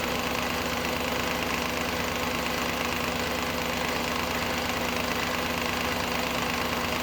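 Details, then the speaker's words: Audi A8 D2 4.2 ABZ engine idling with the drive belt removed: steady light knocking about twice a second from the engine front; the whole timing cover was loose, with a bolt missing, and it was fixed with thread sealant. "Что за херня? Вообще чудеса. Капец, сейчас попробую показать. Болтается. Вся передняя крышка."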